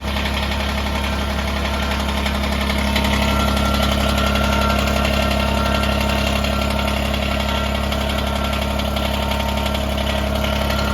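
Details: Kubota BX23S diesel tractor (bought 2022) idling with a steady metallic rattle riding on the engine rhythm from the loose front grill guard, whose weak factory latch is to be replaced with an improved latching method.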